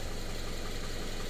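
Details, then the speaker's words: Subaru FB engine after a no-oil-pressure fault: paper towel from an oil change was chewed by the timing chain and clogged the pickup, now cleared; steady, even low idle with smooth rumble and no knock after an hour running. "so this thing's now been like I said for an hour just running purring I've been revving it there's no rod knock"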